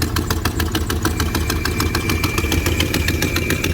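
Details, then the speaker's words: Lumpy V8 idle on a cold start: fast, uneven puffing tick about three to four per second with a faint whistle; owner suspects the rear exhaust header gasket, replaced once before, has blown again. "so i got into some exhaust leaks as you can hear um sounds like that rear gasket might have blown out again"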